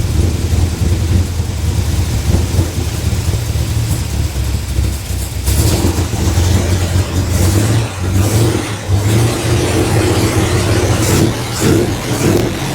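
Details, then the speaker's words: 327 V8 in a 1955 Chevy truck, first start after intake work: rumbles and revs with an occasional sharp metallic metal-to-metal clack; cause unconfirmed, vacuum leak and carburetor discussed. "Every now and then I hear some metal to metal."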